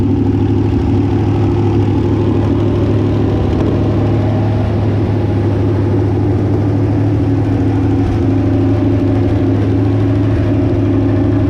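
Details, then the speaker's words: Barn-stored Chevrolet 327 V8, sitting since the early 90s, on a run stand with original mechanical fuel pump, idling with a faint uneven tick over the rumble; small exhaust leak plus suspected valve train noise, otherwise running well. "a little bit of an exhaust leak in here but uh I think it's more than that I think I am feeling a little hearing a little bit of valve train noise but for an engine that's been sitting since the early 90s in a barn I think runs pretty darn good"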